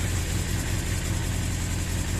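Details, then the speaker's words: 1982 Suzuki GS650GT motorcycle first run since delivery, at dusk, owner suspects fuel not getting through: low, uneven rumble at idle that won't settle into a steady beat; rough running. "here you have it running running rough but running nonetheless"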